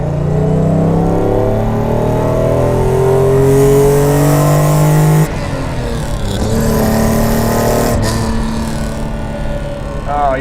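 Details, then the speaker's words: Mercedes-Benz 300 SL Gullwing, fully warmed up (15 litres of oil), on its road test after recommissioning: the engine climbs smoothly under load with no knocks or misses, pulling beautifully, and oil pressure is good and high. "well that's there's nothing wrong with the way that's pulling at all it's just beautiful oil pressure is good and high as it should be"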